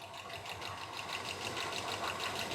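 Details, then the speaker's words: Engine with non-adjustable rocker arms, warm after about 20 minutes of running: a quick, light, regular tick over a steady idle, traced to a rocker arm rather than a lifter; it improves with running but does not go away. "so it's telling me that it's not a lifter it's a rocker platter in and I'm pretty sure these are nonadjustable rocker arms cuz it's been uh about 20 minutes now I can really hear it right"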